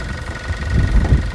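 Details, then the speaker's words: Car at auction, judged on its engine: low, steady idle rumble that stays even through a short run, no sharp knock; engine sounds running and seems solid. "Yeah, I mean, engine-wise, it sounds running. Yeah, I mean, it seems kind of solid."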